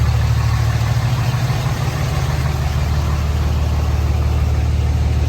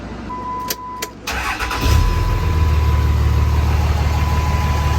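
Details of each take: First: 2006 Dodge Cummins 2500 Mega Cab diesel with CTS3 Edge tuner, new injectors and repaired fuel injection pressure regulator, which previously dipped rpm and stalled at idle: steady, even low clatter with no stumbling. Normal idle, no exhaust smoke. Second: 2006 Dodge Cummins 2500 Mega Cab diesel with CTS3 Edge tuner, new injectors and repaired fuel injection pressure regulator: door chime, starter cranks and the engine catches into a slightly lumpy clatter before settling. Rough first start; owner guesses fuel pump cycling. No exhaust smoke.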